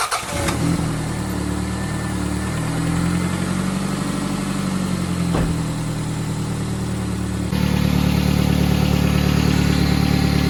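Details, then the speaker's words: 1995 Toyota Celica: engine cranks, catches and idles with low, rapid puffing under the exhaust note; exhaust leak at the clamped two-bolt joint of the OEM flex pipe between the header and the cat, before replacement. "It seems like it's leaking from there. And it's creating this exhaust leak when you turn on the engine."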